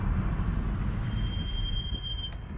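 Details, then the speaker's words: BMW F32 M435i with factory M Performance Brembo brakes, recorded while driving before a big brake kit install; thin piercing squeal each time the pedal is pressed, at any speed, over low road rumble: brake squeal. "hear that on every brake it doesn't matter the speed uh again here's a second let's break now so every time I press the pedal we have this noise"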